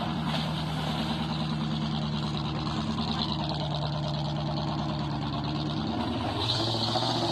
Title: the v8 misfiring ut still going.